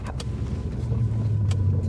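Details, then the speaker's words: Lexus LS400 4L V8, almost 200,000 miles, driving uphill under load: a deep, steady boom sits low under the engine, a droning exhaust resonance described as particularly annoying. "Oh my god, the drone. Oh yeah. Uhhill. It's particularly annoying."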